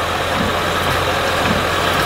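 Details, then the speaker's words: Honda Odyssey with intermittent no-crank no-start, after starter replacement: starts first try, then short steady, even idle with smooth drone, no stumble; healthy. "crank it perfect it's started first try first try okay turn it off try it again perfect"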